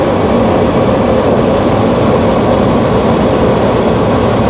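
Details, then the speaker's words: Dometic AFMD30121A RV furnace on the bench, gas on, thermostat wires jumped: a steady blower rush with no ticking spark. Igniter not sparking; a bad control board is suspected, with boards known for condensation corrosion. "don't hear it striking which means we probably have a bad board"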